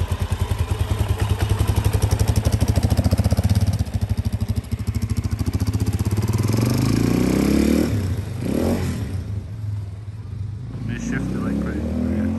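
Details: A 2006 Suzuki DRZ400S, bought cheap with an intermittent no-start, is reassembled. It thumps steadily at idle, then a clean throttle blip rises and settles back; it now runs properly.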